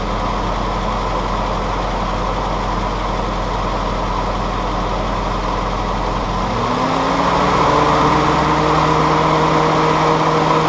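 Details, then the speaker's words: Willys CJ2A L134 Go Devil four-cylinder being tuned, restarted after temperature checks (exhaust about 200, head 140, hoses 115–118). The idle is even and steady, settling to a smoother, slightly lower note, with no knocks or misses; it runs fine. "really it seems to be doing okay I don't know I'm probably just gun shy at this point with everything that's happened but I'm pleased that it runs"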